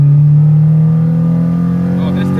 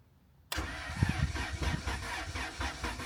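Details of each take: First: Track car after swapping in a replacement engine for the blown one: second gear quick rip, clean rising engine note pulling hard, smooth and even with no grinding or knock; engine healthy under load. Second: Track car with freshly swapped replacement engine after the old one blew, first start on a jump pack: starter cranks with an even chug about four beats a second for six seconds but never catches; later found return fuel and grounds unconnected.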